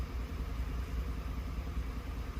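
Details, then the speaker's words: 2011 Lincoln Navigator with shudder at stops, shop had raised idle: low uneven V8 idle around 600 rpm with loping wavering pulse; roughness evens out at 800 rpm. "a lot of things can be masked by increasing rpm everything fuel everything is more sensitive at idle"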